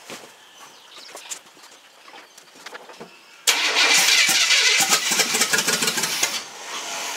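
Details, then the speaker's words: GM mud truck with a new wiring harness and an 87 GM electric fuel pump and sender modified to fit the 89 harness: steady cranking for about three seconds that never fires. Still no fuel reaching up top. "okay can you crank again okay still not getting any fuel up here in ruin"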